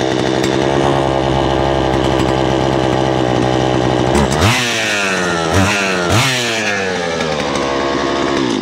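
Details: Poulan Pro two-stroke chainsaw, about 12 years old, cleaned up for a new season with its air filter refitted, oil pump checked. Strong, even buzz, then a few clean blips up and down with no stumbling: running freely, healthy.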